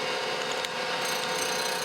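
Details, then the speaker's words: Surface grinder wheel, freshly dressed, grinding a Windy Hill Foundry square: steady hiss with a faint periodic skip where the wheel is still slightly out of true, though much better than before dressing. "still hear a little bit of a skip that's a lot better i think we got it pretty well out"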